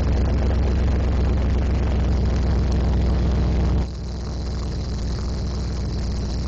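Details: 1972 De Tomaso Pantera on its first start after a year-long restoration: deep, steady V8 burble that drops to a calmer, even idle after about four seconds, running smoothly with no knocks or misses.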